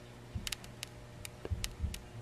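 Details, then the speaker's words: Antique Grundig radio electrostatic tweeter after repair: touching it gives irregular crackles and ticks over a low hum, showing the tweeter passes sound; working tweeter, crackle on touch. "you can definitely hear the uh the tweeter works now i can definitely hear the tweeter works now so when i touch it on there we get a little bit of a staticy sound"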